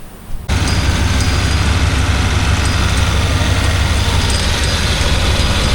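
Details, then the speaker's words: Suburban at idle during AC recharge with air duster on can five: constant low idle rumble with steady hum never cycling; compressor no longer kicking on and off, staying engaged, air getting cold. "Starting to get cool. This is can number five. And the compressor is not kicking on and off like it was."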